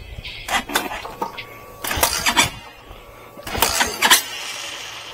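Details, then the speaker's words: Hawk DLX motorcycle with Delphi EFI ECU just flashed with a very rich tune via HUD ECU Hacker: several kick-start bursts that sputter briefly before the single settles into a faint run; battery too low, cold engine reluctant. "I had to help it with a little kickstart because I knew the battery was too low. These bikes don't like to run cold."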